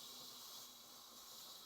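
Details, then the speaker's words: Stovetop pressure cooker at working pressure, with the gauge showing green and the heat turned down to about 4. A steady, soft high hiss of steam escaping is normal. "and you can see that it's a nice hiss now this is normal for Steam to be coming out of"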